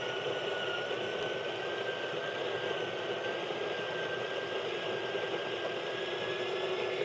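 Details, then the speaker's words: Breville Barista Pro/Express built-in grinder grinding a dose through a dosing funnel: even high whine, dropping slightly as the dose clears, end-of-cycle whine when tapped to clear grounds; normal operation. "in the end of grind cycle you're going to hear you're going to hear the like you know whining noise that's the when I like to tap it which means I'm going to get the all the coffee WIS out"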